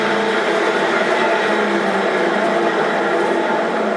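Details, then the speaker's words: 1942 Sebastian lathe in back gear at slowest spindle speed, after stuck chuck backplate removed: even steady gear whir with no knocking, grinding or rhythmic thump; spindle turns smoothly. "So I got the back gear in, running at slowest speed."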